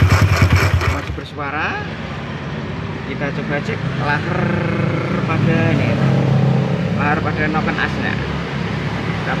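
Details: Yamaha Jupiter MX single-cylinder engine running with a rough, gravelly, grinding growl; on teardown, the camshaft bearing was found loose and worn with a lot of play.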